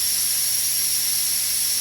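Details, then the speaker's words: Rottler HP6A machine's compressed air supply, around 100 psi expected: steady sharp high hiss with no engine sound; air leaking at the regulator, owner suspects it cracked from overtightening. "oh my God we do have a leak we have a leak back here on the regulator"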